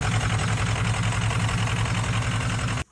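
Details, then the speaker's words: Ford 6.0L Powerstroke V8 diesel swapped into a bullnose F350, idling: uneven lumpy beat from a misfire, injector number five broken in half; intermittent code for cylinder two also noted. "Yep. I found my miss. Injectors broke in half."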